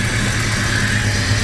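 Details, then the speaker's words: 1996 Jeep Cherokee after a new timing chain and harmonic balancer, second start with the distributor turned 180 degrees: a short stretch of smooth, even idle with a steady low rumble and no vibration or missing; no check engine light. "come on sounds like it's happy again"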